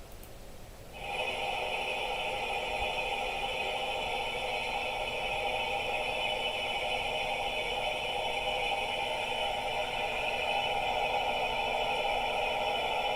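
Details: Electrolux LTR10 washing machine very loud during spin: steady loud hum with high whine throughout; sounds like bearing, yet upper and lower bearings, lower gearbox shaft and gearbox cover already replaced; cause unknown.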